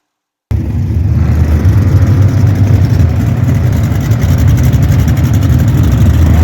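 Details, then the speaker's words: 2015 Jeep Cherokee Latitude 3.2L, engine revving: a steady deep note with loose, uneven clacking about four per second on top; a failing rocker arm roller bearing. "That little bearing in the middle goes out. That was the clack that you could hear when they revved the engine."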